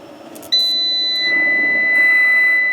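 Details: Off-grid solar inverter whose RCD kept tripping: a steady high-pitched beep cuts in suddenly and holds without pulsing as the wiring was disturbed; a loose, cracked, sparking brown neutral wire was then found as the cause.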